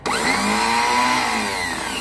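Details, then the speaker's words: 1991 Fiat Premio starter motor bench-style test, jumped from thick positive to a lower bolt to spin motor alone while diagnosing a click-only no-start; sharp whine spins up and winds down smoothly, no grinding; brushes and armature OK, normal free spin. "Então aqui agora ele só vai virar, tu vai ouvir só o barulho do motor de partida, ó."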